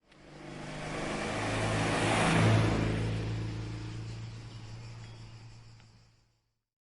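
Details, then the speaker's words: R380 gearbox running on a test stand via a made-up shaft on the spline: smooth, even gear hum with a steady low drone swelling and fading as it spins down; front support bearing slightly noisy due to the mounting; gearbox runs nicely. "It's running away there. Well, it's not running away, but it's running kind of nice."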